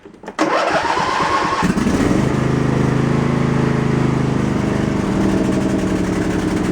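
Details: Husqvarna lawn tractor after shift rod repair, first start by the owner: quick catch, then a steady, even drone with no knocks or stumbles; runs normally.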